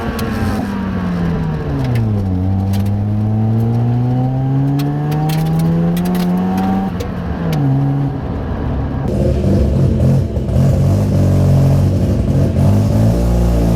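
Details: Mazda RX-7 FC3S Turbo II rotary on its new welded stainless exhaust with the cat deleted, trying a launch. Smooth rising note pulls cleanly, dips briefly at the gear shift and climbs again; strong, healthy, normal acceleration.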